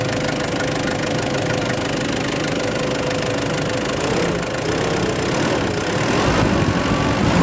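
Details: Ford Ranger after top overhaul, started in one click once a lodged leaf was removed, air conditioning on: engine catches and settles to a steady even idle, rising slightly as throttle raises it; no misses or knocks, normal idle.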